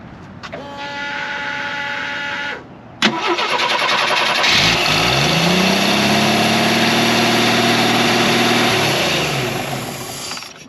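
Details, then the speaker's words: Jeep CJ5 first start after new battery, cables and compression test: short crank, catches cleanly and settles into steady even idle with smooth rise and fall in revs; normal start and run. "Awesome. That's a big step. Big step, man. You know what that means? That's one step closer to the trails. Yeah, that sounded good."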